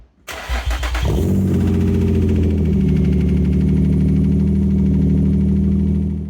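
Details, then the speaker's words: 2008 Infiniti FX35 with new catalytic converters and the Y-pipe removed: the starter catches, then a deep, loud, aggressive drone holds steady; loud exhaust with Y-pipe removed. "The second was with the Y pipe removed, and that was pretty loud and aggressive."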